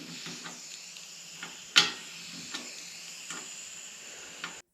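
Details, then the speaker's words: Old gravity-fed central heating system with 16 radiators, drained down from outside with the F&E tank, boiler, controls and shower pump isolated. Steady thin hiss with faint clicks: air entering through an open radiator bleed valve while draining. "So I'm draining down now from outside. Can you hear this hissing?"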